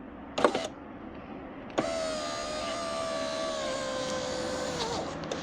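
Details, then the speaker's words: Fiat power window motor lowering: a sharp crack as the window starts down, then an even motor whine with the odd tick; regulator gear moves because its rubber damper is missing, fix is a new rubber. "fez o barulhinho na hora de baixar ó dá tipo de um crack né no caso né tipo da engrenagem que ela acaba se mexendo porque tá sem as escolas dela né olha aí ó é porque tá sem a borracha"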